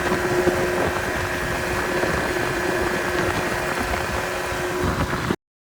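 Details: 25hp Mercury two-stroke outboard on a 14ft mod-V jon boat, after carb cleaning and replacing a leaking gasket that caused an air leak: steady buzz holding an even speed without surging or stumbling, then cutting off cleanly; runs healthy.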